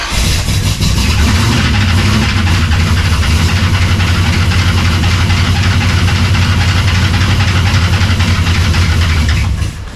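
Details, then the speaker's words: Cold V8 (shop project, fans not yet hooked up) idles deep, loud and lumpy after a firing-order check; owner suspects a bled-down lifter, sounding slightly better, needs heat. "I think it was just one of the lifters must have bled down. She sounds a little better. It's going to take a little time to get some heat in her and get her going again."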